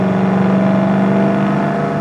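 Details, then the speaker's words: 1966 Mustang fastback, fresh 289 V8, restored after 33 years in a barn, accelerating past 55 mph. Deep, even exhaust drone holding a steady pitch under throttle, no knocks or misses; strong compression, normal acceleration. "It's got a lot of compression. Runs great. Good car. Sounds good too."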